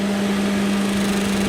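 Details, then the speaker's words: 1989 Jeep Cherokee XJ (Renix 4.6L I6) with retrofitted 1997–2000 Volvo S70/V70 two-speed electric fan: steady whoosh with constant buzzing tone as a blade rubs the shroud, a small clearance issue; loosening it stops it. "so I guess the fan was just touching something somewhere unless something's a little warped or distorted"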